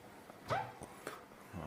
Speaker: ये देखिए ऑयल हमने डाला और अभी आवाज़ पूरी बंद हो चुकी। थोड़ी सी हल्की सी आ रही है, थोड़ा सा ऑयल फैलेगा तो वो ठीक हो जाएगा।